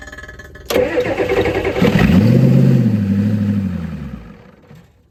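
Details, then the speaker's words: 1988 Ford F350 7.3 IDI diesel, sitting since the 1990s, restarting after first revival run: starter grinds briefly before the engine catches with a clattering rev, then winds down; hard start, cause unknown. "Let's see if she'll fire back up. Can't do it with one hit."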